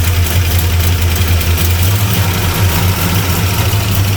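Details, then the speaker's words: 1975 Plymouth Roadrunner V8 revived after about 20 years of sitting, running on the battery with timing unset: a low, lumpy, hunting idle that runs rough. It might be flooded, but sounds lean. "Might be flooded. Runs a little rough. Oh. Yeah, that sounds like it's lean."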